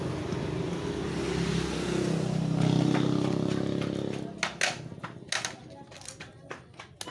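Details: Shimizu water pump that only hums and won't turn, so no water comes out: steady low hum builds for about four seconds without the motor spinning up, then stops; run capacitor found melted and needs replacing.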